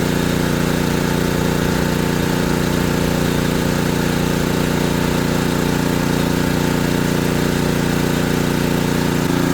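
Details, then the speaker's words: ETQ3000 3000-watt portable generator, repaired after not running, carrying a 1500 W load: even, steady drone with no hunting or surging; idling just fine under load. "So, that's 1500 watts. Let's let it sit there for a minute. Danielling is just fine."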